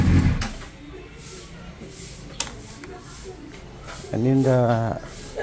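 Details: 2004 Honda CBR600RR after an aftermarket starter motor fixed hard starting; the cooling fan is not activating at 220–230 temperature: quiet idle, then a clean quick rev climbing smoothly and settling, no misfire; normal revving.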